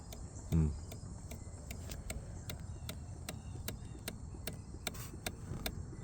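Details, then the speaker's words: 2019 Kawasaki Ninja 1000 (ZX1000) under rebuild, at key-on on battery with engine not running: faint sharp ticks two or three per second, a pumping-like noise; owner suspects something loose or shorted, cause unknown. "some sort of like pumping noise up here. So the screen is slowly working I think."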